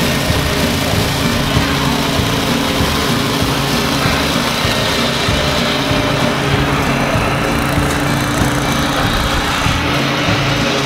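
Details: DR leaf vac with electric start, revived after sitting for a long time with missing parts: steady, even small-engine drone holding constant speed with no misses, knocks or surging; sounds healthy.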